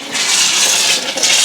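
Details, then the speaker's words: Hot-water faucet after replacing an electric water heater's upper element and refilling the tank, power still off: harsh spitting and hissing with uneven surges as trapped air blows out of the hot line; normal purging. "So if you go around all your faucets, you'll hear them shooting a bunch of air out, which is what you want."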